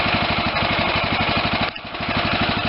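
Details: Steady even single-cylinder thump at idle, no stumbling, from a Kohler CV460S Command engine on a John Deere LT160 lawn tractor after replacing the overfilling carb with an aftermarket one and freeing a stuck choke.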